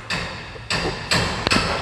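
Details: Jeep Compass 4x4, microphone beside the front stabilizer bar while the body is rocked: four heavy metallic clunks with a short ring about half a second apart; worn front stabilizer bar, replaced.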